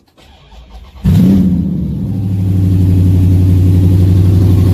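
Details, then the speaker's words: Dodge Challenger/Super Bee after fixing loose header clamps that rattled: starter turns about a second, engine catches, flares and settles into a steady deep idle with no rattle; sounds slightly different after the fix. "as you just heard I'm sure the car sounds a little bit different not crazy different but I fixed our rattling header situation"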